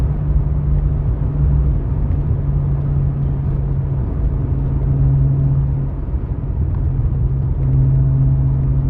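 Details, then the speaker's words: Toyota Supra with a 2JZ under a full-throttle pull on the road with a worn $50 clutch: heavy low engine drone whose revs climb without the car pulling harder. The clutch is slipping. "the cameras getting a little jumpy there that's the clutch slipping we're just over rep like that"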